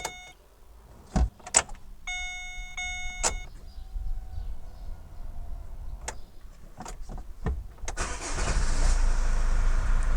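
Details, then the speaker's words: Chevrolet Captiva 2.2 diesel after an oil change and new oil, air and fuel filters: the lift pump primes with clicks and dash chimes, then the engine fires quickly and settles into a steady, even idle to purge air. "donc là la voiture est en train de tourner elle tourne parfaitement bien au ralenti"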